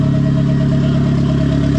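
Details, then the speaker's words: Turbo Mazda Miata first start after a clutch and flywheel job with brand-new bearings. Steady idle with a constant high-pitched hum over it. Cause unconfirmed; owner suspects it may just be turbo sound. "There's kind of a high-pitched squeal that's happening. Not real sure what that is. It's not like a squeal, it's just like a high-pitched hum. For all I know, that's coming out of the turbo."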